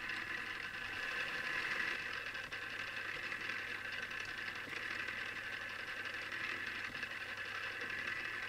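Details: Newly assembled Tamiya Display Turntable Black on its first test spin. A thin, steady high-pitched gear whir with a faint fast rattle from the gear mesh. Owner dislikes the gear noise and may fix it later.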